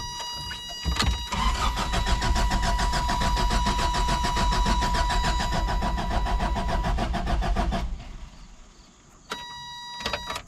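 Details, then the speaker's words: 1988 Toyota Van after sitting about a week: steady starter cranking for seven seconds that never fires, though fuel can be smelled. Crank-no-start; the owner suspects the coil pack, with the last tune-up and plugs a year and a half ago. "Nothing. I can smell fuel when I crank it long enough so it's it's getting fuel."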